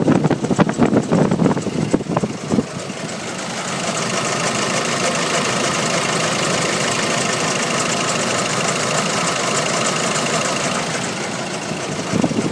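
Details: Nissan YD25 diesel engine at idle: uneven light knocking over a steady clatter after some handling noise at first; owner wonders if injectors, timing chain, belts, pulleys or turbo, source unclear.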